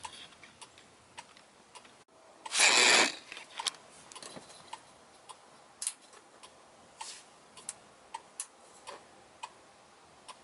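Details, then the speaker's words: Left turn signal switched on with a newly fitted on-off-on toggle switch: an unexplained short keeps triggering the flasher relay, heard as sharp, light ticks in an uneven rhythm that changes, with one louder burst. "Now I still have that weird short that's causing the relay to still trigger, but if you listen, the rhythm changes."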